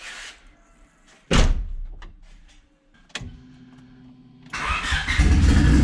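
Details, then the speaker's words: Honda Civic D16Y8 turbo, being street tuned on a base map: engine holds a steady raised idle that won't drop; high idle from a vacuum line popped off the idle air control valve. "I think my idle air control valve is messed up [Music] yeah you found the issue y'all line popped off the idle air control valve"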